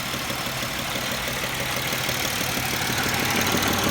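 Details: 2007 Pontiac Grand Prix at warm idle: a light repeating knock about three per second over the engine hum. It is absent when the engine is cold and appears once warmed up; cause unclear.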